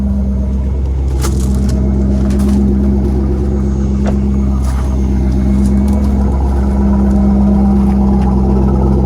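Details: Corvette C5 manual LS1 V8 after installing third replacement PCM and theft-deterrent relearn with Tech 2: steady, even idle, constant low hum, no misses, knocks or stumbles; engine starts and runs healthy.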